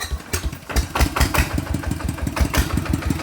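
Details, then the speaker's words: ET110 single-cylinder diesel, balance-shaft bearings already replaced, idling before rebuild to a 120 direct-injection: even thumping about six beats a second, no knocks or rattles; still quiet, sounds fine. "เสียงยังเงียบดีนะครับใช้ได้นะครับ"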